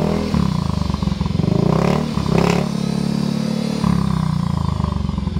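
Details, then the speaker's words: Yamaha Mio i125 scooter after replacing the shattered rear-wheel bearing, draining gear oil and refitting the side cover and exhaust: the engine runs with a steady, even beat and a brief rev, with no grinding or rumble from the rear. "guys guys Okay na po siya umaandar na kanina po kasi Basag ang bearing natin"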